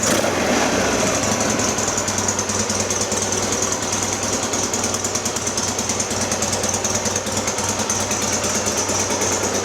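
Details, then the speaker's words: 1966 Norton Atlas twin after full engine rebuild, only its third run, bedding in: loud, steady, crackly twin beat at fast idle, even rhythm, no knocks; worn twin monobloc carbs may need carburation work. "is only the third time it's been run so everything's got a bed in"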